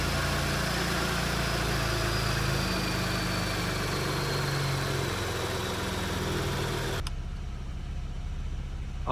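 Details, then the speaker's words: 2019 Porsche Cayenne S 2.9 V6 twin-turbo (EA839) first start after rocker arm repair: smooth, even idle with a steady low drone; the ticking from a seized rocker arm tapping the camshaft is gone, normal idle. "So, the Porsche Cayenne S is back on the road. There's no more tapping uh coming from the engine"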